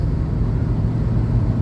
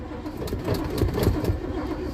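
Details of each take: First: 1987 Winnebago cold start after sitting, battery terminals upgraded from side post to top post and fuel pumped, nearly out of fuel: low, even rumble with a steady deep hum and no knocks or misses, a healthy idle. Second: 1987 Winnebago cold start after sitting, following a battery terminal upgrade and pumping the pedal: an uneven cranking chug of about four beats per second with no firing. It later catches but is out of fuel. Crank, no start.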